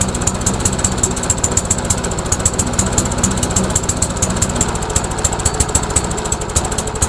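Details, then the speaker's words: MTD Yard Machines lawnmower with Briggs engine after head gasket replacement, started in the evening: even steady firing pulses at a slow lazy pace without misses; idle speed too low. "well let's try increasing the RPM so we got this little tab in here bend it out let's see if that'll increase the RPM"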